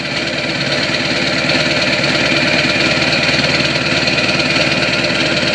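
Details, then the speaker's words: 2002 Ford 7.3 Powerstroke diesel, snowy December cold start, 4-inch turbo-back MBRP exhaust, likely a TC 6-position tuner: steady diesel clatter at idle, even pulses near 220 a minute through loud open exhaust; normal idle. "the old classic 7/3 sounds like she's open"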